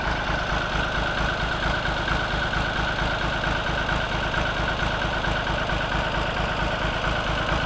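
Steady, even low chug at idle with a regular firing beat and no knocks or misfires; the old tractor engine runs healthy.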